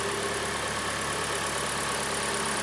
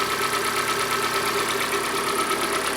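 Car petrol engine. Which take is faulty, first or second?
second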